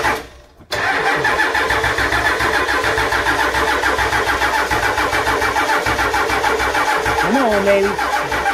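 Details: Ford E350 short bus with 7.3 IDI diesel, after fuel heater delete and sealing the leaking fuel filter housing (air intrusion), filter prefilled with ATF: catches within a second, settles into steady even diesel clatter at idle, no stumbling; no leaks.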